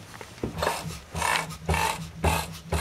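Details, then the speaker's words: Renault Marine Couach RC6 engine turned slowly by hand in forward gear: hollow "boink" clunk about twice a second in uneven bursts, every 10-20 degrees; no play at inverter, later traced to crankshaft axial play. "strange noise the crankshaft is hitting something don't get a grip on that there's no play between the crankshaft and the inverter"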